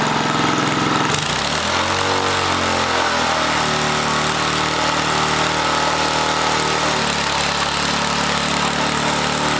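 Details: 1980 rototiller small engine racing at high speed well above normal idle; governor not controlling it because the wrong governor spring is fitted.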